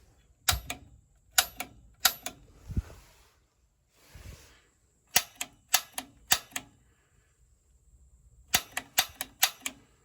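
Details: Standard atmospheric-vent gas water heater with pilot out: gas control on pilot, button held, piezo igniter pressed. Sharp dry clicks in groups of three or four with no flame whoosh. Igniter sparks but pilot won't light; error code 7, gas valve later replaced.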